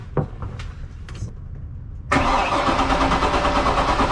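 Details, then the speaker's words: Volvo Penta 5.7 GSi throttle-body EFI marine engine, early 2000s: a few faint clicks then steady cranking at about three beats a second, never catches, tach reads zero; fuel starvation as the fuel path is clogged with debris. "so this is so full of debris that the engine can't pull fuel"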